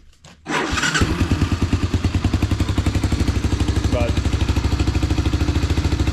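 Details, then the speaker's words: 1985 Honda Fourtrax 250 ATV, after new drive shaft fitted and rear end rebuilt, idles with a steady, even single-cylinder thump, no misses or knocks; runs good, driven down driveway; normal start and idle. "starts up and runs good. Took it down the driveway."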